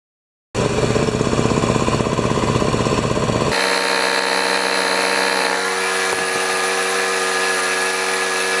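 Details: Honda-powered wheelbarrow air compressor, sat for years, after throttle cable and adjustments, started on choke: catches, runs fast and steady, settles after about three seconds to an even idle, no misses or knocks; normal.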